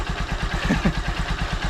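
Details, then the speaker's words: Honda Supremo after a small clockwise adjuster turn to fix hard starting: an even putt-putt idle of about eight beats a second, steady with no clatter; healthy idle. "at nakita niyo naman kondisyon na kondisyon kong alaga natin kison na kondisyon k si Raptor at kung maririnig niyo ung kanyang andar napako"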